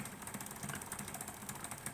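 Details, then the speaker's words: P2 Cock O North model locomotive being resurrected: rapid irregular ticking and grating under a soft whir from the worm drive; owner feels the worm-gear meshing is rough but unsure whether the motor itself runs unevenly. "I can see it and I can feel it that there is something not right with the meshing of uh of this Worm Drive here"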